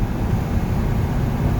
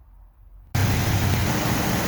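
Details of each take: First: 1970 Ford F250, 360 engine, driving about 40 mph after carburetor tuning and spark plug re-gapping: steady low drone with no misses or sputters, best throttle response ever, running healthy. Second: 1970 Ford F250 360 V8 with carb, plugs cleaned and regapped to about .042, one new, warming up: lumpy, loping idle; idle mixture screw changes do nothing, owner suspects a vacuum leak.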